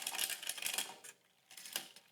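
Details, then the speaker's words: Bicycle front derailleur that would not shift granny to middle ring, after increasing cable tension with shifter barrel adjuster: short crisp clicks as chain lifts onto middle ring, then quiet, no grinding; clean shift. "And it's quiet. I did that all just with cable tension. I just completely shift that gear."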